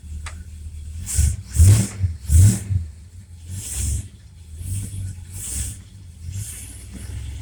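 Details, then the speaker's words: Car with a rebuilt Mopar Federal-style power steering pump after refill and bleeding, engine idling while wheel turned left and right; engine blips and settles, no whine or groan rising with revs. Normal power steering pump. "pinky steer to the right response at the front tire no noise don't hear no screaming and whining when I turn the wheel"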